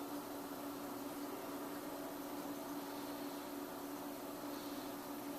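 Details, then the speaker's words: Auction Peavey Heritage VTX amp, unknown condition, just taken off standby, knobs low, input grounded: quiet steady hiss with faint constant hum, no crackle or popping; normal background noise from a working amp. "Okay, so now we got some hiss."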